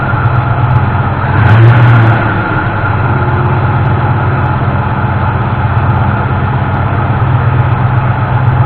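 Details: 1988 Ford F-150 in neutral with a timing light attached, after the broken distributor-side ignition module was replaced and the engine retimed: deep, even idle with a steady beat, no stumbles or missing; normal idle.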